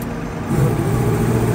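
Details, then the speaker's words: 2012 Freightliner truck with a 10,500 lb crane and PTO air compressor: idle deepens and firms up about half a second in as the compressor switch engages, then holds a steady, even load; normal compressor engagement. "the compressor switch is right here hopefully you can hear it kick on"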